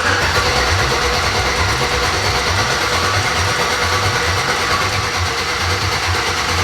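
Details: Chevrolet S10 with swapped LS V8, first start on open headers: loud, raw, fast and steady running with even firing and no stumbles or knocks; healthy.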